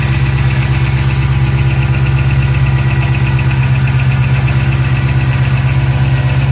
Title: GT500 Ticking noise during cold start